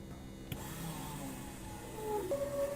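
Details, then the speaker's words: Piper Cherokee Six 300 sitting several years, first start attempt on a weakly charged battery: electric boost fuel pump, located far under the aircraft, clicks on and climbs to a smooth constant hum; fuel pressure builds, pump working normally. "So, if you guys can can hear that, I can hear the pump going, which is way under here."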